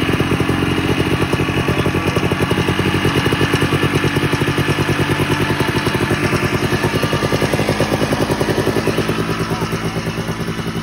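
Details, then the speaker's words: 1987 Ski-Doo Citation LS Electro 250 two-stroke snowmobile found at dump, makeshift fuel line with primer, gas possibly put into air box; crisp, rapid pops firing evenly throughout without misfires or dropouts; normal running. "we may or may not have put some gas directly into the air box"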